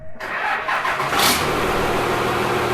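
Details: 1952 Dodge Coronet engine, rebuilt for a hoped-for reliable 500 hp, started on a makeshift engine-run setup with extra batteries and ground wires: catches within a fraction of a second, revs briefly, then settles into a smooth, steady run; healthy start.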